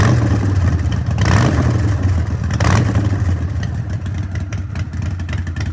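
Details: Harley-Davidson Sportster 1200 with Vance & Hines exhaust and K&N air filter, after ECU reprogram for a fueling and poor-running problem, no error codes: loud, deep V-twin burble picking up cleanly into blips and settling; fires evenly, healthy running and revving.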